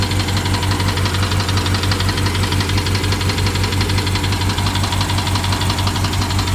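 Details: BMW 750Li with N63 engine, after fuel injectors and high-pressure fuel pump were replaced. Sharp regular ticking about once a second over an uneven idle with a missing beat; ticking and misfire, owner suspects timing chain, unconfirmed.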